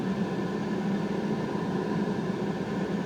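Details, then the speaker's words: Citroen CX GTi heater blower on full speed after clearing a blockage: steady even fan rush with faint constant hum and no rattle or scrape; sounds very different than before, airflow improved though still modest. "so let's go ahead and start that fan up once again see if it makes any difference so it sounds very different in here it's still not a hurricane"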